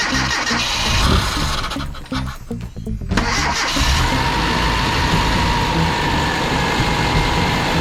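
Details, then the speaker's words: Mitsubishi Sigma with new 32/36 Weber carburettor, coolant-in-intake issue fixed: engine catches, stumbles and sags nearly stalling, picks up unevenly, runs only with brake cleaner sprayed in; suspected fuel starvation, bowls to be checked. "It sounds like it's not getting enough fuel because it starts dying. When I put the brake cleaner in, it runs."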